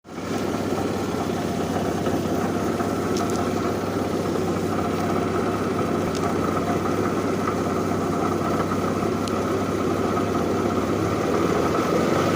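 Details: 2008 Infiniti M35x, 187K miles, engine idling: loose uneven rattle over steady run, source unidentified.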